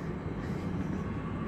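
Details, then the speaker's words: AAON rooftop unit fan, 1 HP 460V three-phase Baldor motor on a VFD, after replacing noisy bearings in a 14-month-old unit: low, smooth, steady hum with no squeal or grinding; normal fan motor running. "now it's sounding like how an ion is supposed to sound"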